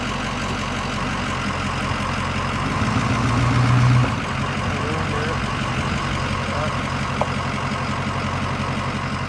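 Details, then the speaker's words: 6.0 truck: sharp snap when shifting from reverse to drive at idle, after grinding while driving; the driveshaft carrier (center) bearing, housed in rubber, is suspected worn. "I don't know if y'all just heard that snapping noise. I do believe that would be the carrier bearing."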